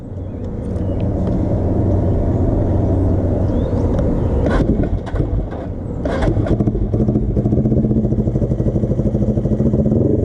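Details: Custom Suzuki GS450 scrambler, warm during a test ride after cold compression check; steady drone that stumbles, sags and picks up unevenly, breaking up; original ignition coil found dying, head gasket also to be replaced; engine misfire.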